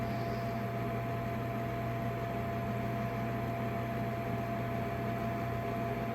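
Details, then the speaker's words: Trane furnace after gas valve replacement, call for heat with normal flashing red light: steady inducer fan hum, no burner lights; zero volts at the igniter (glow plug); owner suspects poorly connected or corroded wires at the board, or air still purging from gas line. "That's a normal call for heat. So, we should be having a glow plug. We got zero volts."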